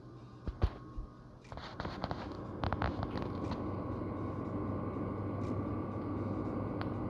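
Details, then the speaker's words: Power Mac G5 after a benchmark test, cooling fans ramping up from heat; after a few clicks a steady airy whoosh with a faint tone grows louder over seconds. "oh i can hear the fans ramping up which is weird because they didn't ramp up during the test"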